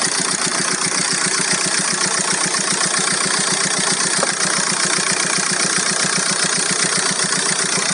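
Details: VW Golf 4 1.9 TDI 115 4Motion diesel at idle: steady idle with sharp, regular ticking about two and a half per second over hissy clatter; owner hears a strange engine noise, cause unclear.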